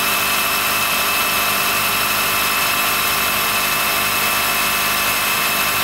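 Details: 2013 Honda Fit Hybrid L Package (DAA-GP5), below about 10°C: a steady, thin high-pitched squeal over an even running hum that stops once warmed after driving; source unknown, with no warnings shown.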